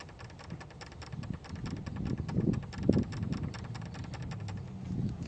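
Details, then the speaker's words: 2004 Mercedes-Benz C230, engine running, heard after alternator replacement: dry, uneven rattle of light clicks from inside the power steering pump pulley, louder with the belt on; worn pump bearings suspected. "obviously something is rattling inside of the power steering pump. So if you hear that noise coming from your vehicle, check the pulleys. Check to see if it's the power steering pump."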